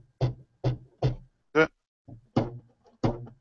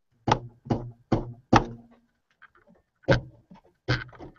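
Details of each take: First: Big Box 3D printer (UK edition) during assembly, drive belts plucked after matching tension: sharp low twangy plucks decaying quickly with clear matching tone; correctly tensioned belt, neither slack nor overtight. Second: Big Box 3D printer (UK edition) during assembly, drive belt plucked while tensioning: short low dull thuds dying quickly with little ring; this belt seems slack compared with the other side.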